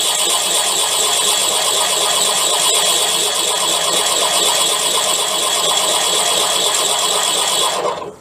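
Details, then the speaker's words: Drilling out a damaged sludge trap plug in a BSA A10 crank with a 15mm Irwin TCT-tipped metal drill bit: steady harsh high screech for eight seconds, then stopping; unusually hard material, owner suspects weld rather than a plug. "Now we're trying to go through with that 15mm TCT tipped drill bit for metal. That's an Irwin brand one. See how it goes. As you can hear how hard that is to drill."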